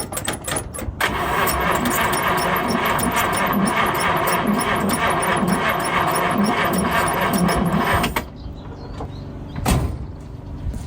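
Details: 1952 Chevrolet Bel Air 235 six, sat about 3 years, new carburetor built, earlier no spark: steady even cranking with a rhythmic chug for about seven seconds and no firing; turns over but won't start, no fuel.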